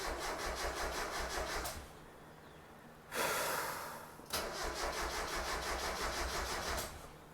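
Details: 1990 Mazda Miata after top-end rebuild, oil filled, harmonic balancer installed, coil packs deliberately disconnected: even, quick starter churn in two bursts with a pause; engine turns over freely without firing. Normal cranking, no start.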